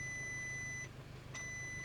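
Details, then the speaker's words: Audi S3 at quiet idle after a hard test drive while being scanned: steady high-pitched electronic beeping with half-second gaps comes from the scan tool, not the car; scan then shows codes incl. engine overspeed. "Ignore that sound. That's just showing up because I'm scanning the car."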